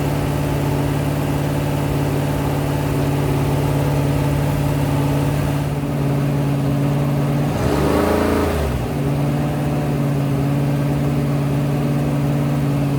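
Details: Rebuilt 426 Hemi crate V8 (new heads, intake, pistons) on a run stand during flat-tappet cam break-in, about 15 minutes in at roughly 210°, 50 psi oil pressure: strong even hum at high idle with one brief blip; clean, no ticking or knocking.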